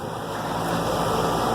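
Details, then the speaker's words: 2004 Armstrong Air condenser, restarted after replacing a bad 50+5 µF run capacitor: smooth, even airy fan rush over a steady low hum, no clicks or rattles; normal operation, refrigerant charge still to be checked. "so it's fired back up now I'm gonna let it run for a little while we'll check the refrigerant charge just to make sure that's okay"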